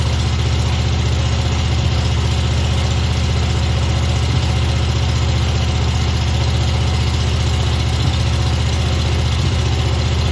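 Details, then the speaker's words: Old Stander mower engine running only on number two cylinder; number one dead with bent push rod and stuck exhaust valve; carburetor missing welsh plug makes it surge at idle; deep lumpy uneven low-beat idle, dead cylinder misfire. "um but it is actually running but it's running on the number two cylinder over here um the carburetor excuse me the carburetor is missing a welsh plug which is when i started up you'll hear it kind of surge at idle that's why it's doing that"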